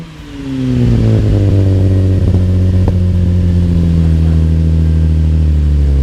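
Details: 2013 Camaro LT with LFX V6 after installing Solo Performance high flow cats (resonators retained): fires up to steady, even drone with gentle rev, deep exhaust tone, no ticking or clatter; normal exhaust note, sound barely changed.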